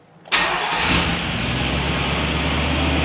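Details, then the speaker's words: 1999 Chevrolet Suburban 5.7 V8 first start after replacing stripped distributor gear: brief crank, fires and smooths into a fairly even idle with oil pressure, blue smoke from exhaust; distributor/cam retard timing still to be set. "Oh, she's smoothing out. Well, that's good. And we got oil pressure."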